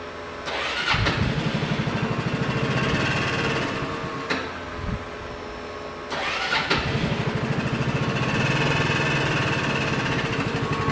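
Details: Empire Outlook/Logik scooter that previously ran out of oil, cranking and idling with loud, rapid metallic valvetrain knock that seems to fade when revved; suspected rod knock, but a broken valve spring was found.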